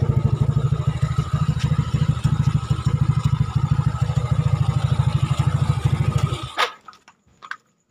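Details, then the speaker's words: Yamaha Nouvo Lele scooter bored up with a 58mm piston and a big carburetor, previously very sluggish, tested at night after repairs. A wiring fault makes the sound slightly rough; the muffler is hollowed. Steady, even single-cylinder pulses at fast idle, then shut off; it runs cleanly. "kabelnya yang kurang bagus itu Jadi rada nyenyak-nyek ini suaranya Lur knalpotnya bobokan Lur"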